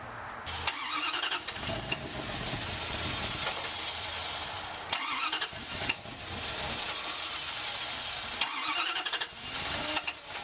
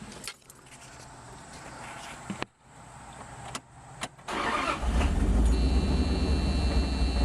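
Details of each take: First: Wood gas truck engine with new automixer: repeated bursts of starter cranking with pauses between tries before catching; many failed cranks attributed to bad gas quality, gas slow to come back, mixer not yet fine-tuned. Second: Wood-gas truck with a new automixer, started after closing the air valve fully: a few starter clicks, then it catches into a smooth, steady idle as the automixer sets the valve to the proper position automatically. Normal start and idle.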